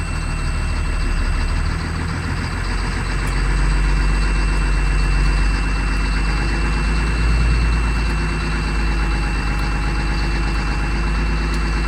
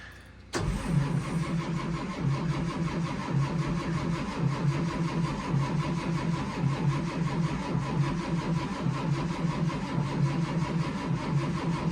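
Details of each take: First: 2004 Blue Bird Vision school bus, 7.2L Caterpillar C7 210 HP diesel, cold started at 23 degrees with jumper cables. A deep, steady rumble settling into an even idle with no knocks or stumbles. Healthy cold idle. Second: 2004 Blue Bird Vision bus, Caterpillar C7 at about 23°F, windy: slow starter churn, about one heave per second, goes on without catching while the HEUI pump slowly builds injection pressure, with white smoke; extended crank, no start.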